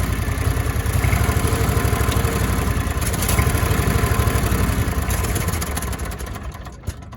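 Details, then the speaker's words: Cushman 3-wheeler with a V-twin engine, load disengaged by lever before starting: it cranks right up into a deep, even rumble with no knocks or misses. Normal running. "But let's go ahead and give it a spin. Cranks right up."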